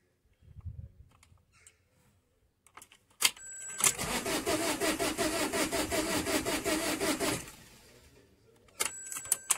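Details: 2008 Vauxhall Combo, no fault codes, on the clutch: steady starter cranking about three beats a second for four seconds, engine never catches; scan tool lost comms with engine PCM and fuel pressure read 0 kPa while cranking. Crank no start.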